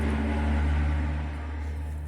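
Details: Volkswagen LT35 diesel van after fixing crank/no-start (corroded wire cut 5 V supply to fuel rail pressure sensor; wire repaired, codes cleared): even, low diesel drone, steady tone, no misses or knocks; smooth healthy idle.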